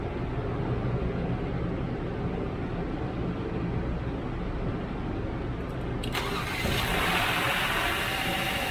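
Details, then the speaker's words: 2017 Genesis G90 3.3 turbo, towed in with a no-crank/no-start that only clicked: after long, labored cranking of about six seconds it catches and idles. Checks found good PCM signal and relay circuit, so the starter motor is failing and needs replacing. "okay so it turns now um let me see i don't know if it's a really issue or i don't know maybe just a starter that's going bad"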